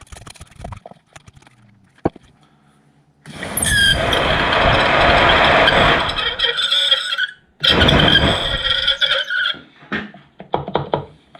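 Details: 2006 Vauxhall Corsa C 1.2 interior blower motor, removed and run on a 12 V battery before oiling, fan only worked on speed 4 and was noisy: shrill dry squeal in bursts, stiff; blower motor bearing squeal.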